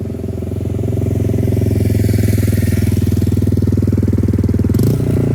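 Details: 2002 Suzuki GZ250 single, straight-pipe exhaust, after carburetor needle shim adjustment that cured a throttle dead zone: crisp evenly spaced pops, picking up cleanly with the throttle and no stumble; runs healthy.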